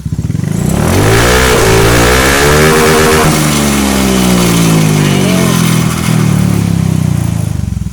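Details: Honda Beat ESP PGM-FI injection scooter running without battery, kicked and held at full throttle while measuring charging output (13-14 V DC): pulls smoothly from idle to steady clean high rev with no misses; charging system healthy.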